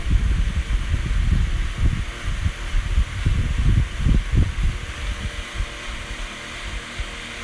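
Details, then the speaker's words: HP 9-inch high-velocity fan with cheap bearings, running steadily: low uneven rumbling flutter and ragged pulsing from bad bearings, though it still works. "it it sounds raggedy because the bearings are bad but at least it still works"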